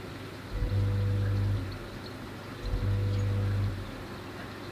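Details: Oase BioTec Premium 80000 drum filter, not working for three months: the drive motor gives two short low hums under a second each, about two seconds apart, then nothing, never turning the drum; a failed motor.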